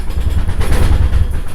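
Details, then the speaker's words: Wood stove with too large a fire for the firebox: deep, throbbing rumble pulsing about seven times a second, chuffing and rattling as the fire starves for oxygen. Cracking the door open lets it breathe. "oh you hear that rattling fire's burning and it's not getting enough not getting enough oxygen so it just starts huffing and puffing so i just cracked the door a little bit let it breathe"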